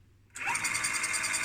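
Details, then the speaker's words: 1978 Furuno FE-300A 200kHz depth recorder chart drive after cleaning and lubricating the gears: small motor snaps on and settles into a smooth steady whine with light even gear ticking, gear not engaged, spinning freely; normal chart drive running. "let's try and turn it on now it spins nicely and the gear is now not engaged"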